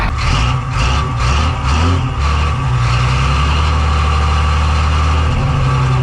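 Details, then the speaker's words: 1985 Ford truck with Hino Japanese diesel, first start needing ether: old diesel idling with a rough, uneven knock about twice a second over a deep rumble; oil pressure light/gauge flickering, knocking with low oil pressure. "That knocking sound. That's a good knob. It might go away. Oil pressure. Well, the oil pressure lights or the gauge is flickering. It's going out."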